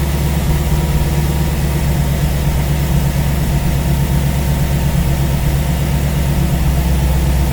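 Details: V8 idling on a newly installed Ace's Killshot EFI throttle body with Blackjack distributor, while base timing is set to 15°; deep, steady idle with an even exhaust pulse and no stumble or surge.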